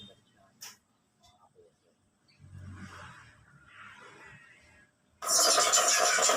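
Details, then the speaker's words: 42-inch LED TV with a distorted-sound fault: after quiet murmurs it suddenly plays loud, harsh, crackly sound with no clean lows from a damaged speaker; the repair converts it to an old TV speaker. "Yun. Garalgal siya."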